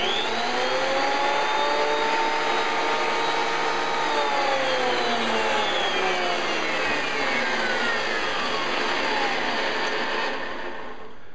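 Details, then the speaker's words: Delta 22-540 type 1 planer, stored for years, running loud with a steady high motor whine and whirring cutterhead, pitch drifting slightly; normal planer running. "So I'm going to let you hear it. It's loud, like a real big router or a shaper."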